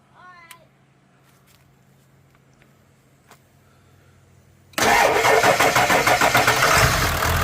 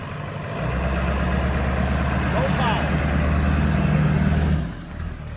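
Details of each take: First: Ford F-250 7.3 Powerstroke diesel after topping up low oil and charging the battery: waits for glow, starter cranks and it fires within about two seconds, settling into a steady, even idle clatter. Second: Ford F-250 7.3 Powerstroke diesel run low on oil, cold start: uneven, lumpy idle about four beats a second, note wavering before dying off; rough running with no power, owner unsure if it's cold-related; cause unclear.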